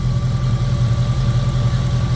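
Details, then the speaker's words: 2002 Jeep Grand Cherokee 4.7 V8 with recurring cylinder 3 misfire and melting coil 3, restarted after running badly: steady, even idle on all eight, power steering pump whine; owner says it drops cylinder 3 when driven. "she's back to running she's still running good I don't get it"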